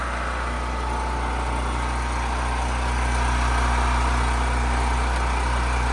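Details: Champion 3500W generator from 2013, never used before, with fresh oil and ethanol gas, started on choke. Steady, even petrol drone with a smooth low chug and no misses or knocks. It runs healthy.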